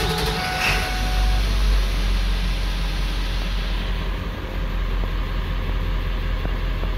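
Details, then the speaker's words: 1999 Ford 7.3L Powerstroke diesel troubleshot for a P1280 code logged at startup: steady, even low diesel rumble with no misses or knocks; readings good, no service-engine-soon light, no DTCs; normal idle. "readings are pretty good no service engine soon light and no dtc's"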